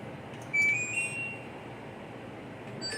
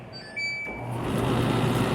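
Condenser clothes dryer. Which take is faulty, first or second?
first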